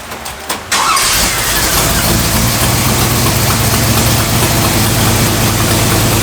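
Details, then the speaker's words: 1965 Cadillac V8 with a newly fitted carburetor, choke off: the engine cranks, catches and holds a fast, steady idle far too high even for fast idle. The owner suspects a vacuum leak and plans to back off the fast idle screw; an exhaust leak is also present. "Okay, so that's still idling way too high even for the fast idle, so I'm going to, and the choke's off, so I'm gonna back off the fast idle screw and see if that changes anything, and if it doesn't, then I might still have a vacuum leak."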